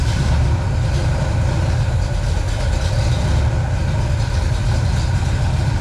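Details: Pontiac 421 V8, .030 over, 1969 big-valve heads, first start after seven years, choke adjusted for lean running, 170°, 40 psi oil, just under 800 rpm: deep even rumble, no knocks, misses or ticks; healthy.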